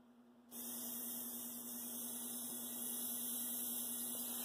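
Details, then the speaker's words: Athearn Blue Box SD40-2 motor after cleaning/brush work, bench test at maximum (15.5 V): steady high-speed hum with bright hiss, louder than untouched motor; amp draw slightly higher, stall under 1.3–1.4 A versus 1.6–1.7 A on the untouched motor. "Okay, it's louder. And its amp draw at max is actually a little bit higher than the one I didn't touch."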